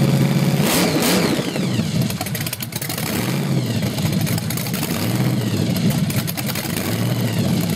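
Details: Chevy 383 stroker with a Weiand 6-71 blower at 8% underdrive, 9 psi boost, 93 octane and Carter AFB carbs, started on a test stand: revs surge and sag unevenly. The owner thinks it runs lean; new jets are coming.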